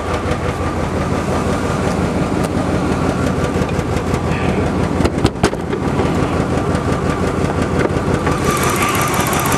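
Loud, uneven idle with a ragged, stumbling beat and exhaust rasp; fits a faulty injector spider starving cylinders.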